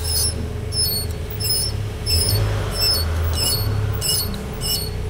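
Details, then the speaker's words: BMW front wheel brake squeal at very slow speed that disappears when braking: high thin squeak repeating once or twice a second as the wheel turns, the anti-squeal shim rubbing the disc because of slight wheel bearing play. "das bisschen Radlagerspiel reicht aus, dass der da schleift."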